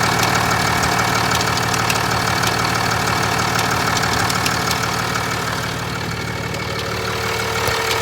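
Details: 2021 Ram 2500 Cummins diesel at idle: a steady, fast light ticking of about three ticks a second over the diesel clatter. The cause has not yet been found.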